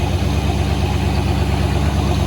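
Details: Old 440 V8 after lowering an idle speed that was set far too high (throttle plate had been open): low, steady, even idle with no hunting or surging; nice and smooth.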